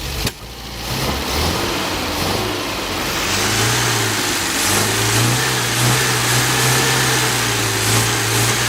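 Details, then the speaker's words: Old engine on a trailer-hauled rig running rough with an uneven, stumbling beat that smooths slightly as it warms and smokes; points were filed and likely misgapped, and fuel is 10-year-old gas mixed with about two gallons fresh. "comment well it's got two problems one I filed the point so I'm sure the points are not set correctly well it smoked pretty good that kind didn't it yeah and the other problem is the gas is 10 years old and only mixed with about two gallons of fresh so that probably doesn't help anything"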